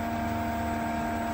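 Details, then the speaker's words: BLACK+DECKER 1.5 hp 220V variable-speed pool pump, likely at 2300 RPM after the 3000 RPM setting: smooth, even hum with steady tones and no knocks or rattles; normal running. "Okay, that's at 3000 RPM. That's at 3000 RPM. That's the sound."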